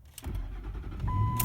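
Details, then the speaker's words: 2004 Ford F-150 5.4L that cranked but wouldn't start, fixed by replacing the fuel pump driver module; brief crank, then catches at once and settles into a steady low rumble under a door chime; normal start. "it was it that works that is freaking remarkable"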